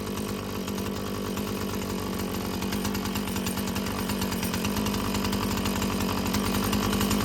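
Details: Husqvarna 445 chainsaw after cleaning and tune-up: a smooth, steady high buzz with no stumbling or hunting and an even pitch; a clean, well-tuned run, though further adjustment may be needed as the carburetor diaphragm loosens.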